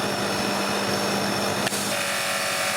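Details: Annovi Reverberi pressure washer after freshly changed motor and pump oil and freeing a jammed valve: steady motor and pump drone with a brief flick as pressure is changed, climbing from 600 to 1000 psi; normal running.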